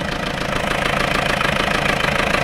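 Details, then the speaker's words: Peugeot 404 diesel pickup, left-hand drive, first start after sitting several years: rough clattering idle with fast uneven knock over heavy crankcase breathing; knock of unknown origin, owner thinks it's diesel knock, lots of blow-by. "it's running does sound the [Applause] best better I get some water right well VI the fact that it's breathing like a steam train it's a bit knocky but I think it's diesel rather"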